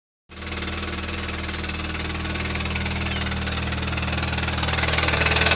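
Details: MINI Cooper R56 (non-S), noise recurring every 2-3 weeks and usually settling after a few minutes of running: sharp, regular knocking about four beats a second over the running engine, growing louder; cause unknown.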